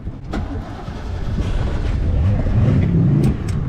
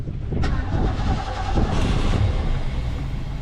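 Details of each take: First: 1988 Ski Supreme boat engine, hot restart after 8-9 minutes at the dock following vapor lock trouble: catches after cranking with a little gas and settles into a deep, slightly uneven idle that builds steadily; warm restart now good. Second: 1988 Ski Supreme boat engine, hot restart after 8-9 minutes sitting at the dock following laps: cranking drone with a few stumbling pops but won't catch.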